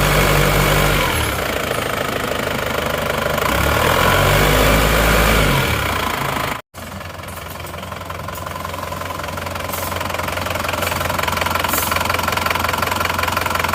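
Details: Diesel Panther whose owner says it runs rougher than before; the starter-area noise is already fixed, injectors 2 and 3 leak and await repair. Idling at operating temperature: an even, steady clatter with a regular beat, no heavy knock, and minimal smoke.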